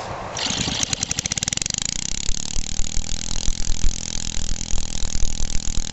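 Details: 1969 small engine, roughly 1.5–2 hp with magneto and points, sat for ages, revived in the kitchen: slow cranking pulses speed up into steady firing beats settling into a loose, even chug; starts and runs normally.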